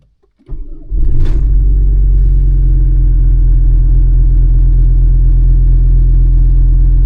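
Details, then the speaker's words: 1996 Volvo 850 2.5 TDI diesel (D5252T, Bosch VE EDC), cold start: cranks, catches, then heavy uneven clatter; rough idle, feels rich, large MAF desired-vs-actual discrepancy. Cause suspected, not confirmed. "Okay, so I've been having some uh rough idling issues on my 1996 Bob 50 TDI. Uh feels like it's running rich."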